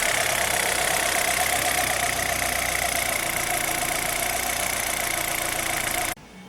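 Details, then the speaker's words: Chevrolet Zafira 2.0 after water pump replacement: steady, even idle with a smooth hum and no rattle or whine from the front of the engine; earlier loud noise traced to the water pump is gone. "o pessoal tá aí mais uma dica pra vocês barulho regular a safira ouviu um barulho regular"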